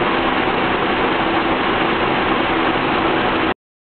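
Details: Engine at idle during a vacuum gauge test: a steady idle with an uneven, lumpy pulse and a faint wavering hum, a rough idle whose cause is not yet pinned down.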